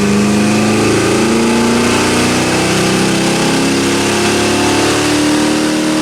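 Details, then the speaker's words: 1979 AMC Spirit AMX, factory 304 V8, budget rebuild, Brawler carb, T5 5-speed, on DynoJet with air cleaner removed: loud even roar climbing in pitch at full throttle, no misses or knocks; 210 hp, 269 lb-ft. "man that sounds good all right what do we got ah 210 at 449 and 269 torque at 3, 1880 RPM that's pretty cool"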